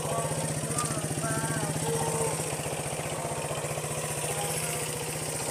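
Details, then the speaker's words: 1973 Honda CB125 single, unused for months, started with one kick: steady even putter at about four beats a second, no knocks or misses, a smooth healthy idle. "Jadi ini walaupun lama banget nggak kita pakai, kita hidupkan, kita engkol sekali, itu pasti hidup. Dan mesinnya halus banget mesinnya kayak tepung."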